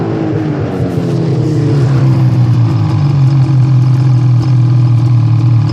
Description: Can't figure out what's causing my sled to do this.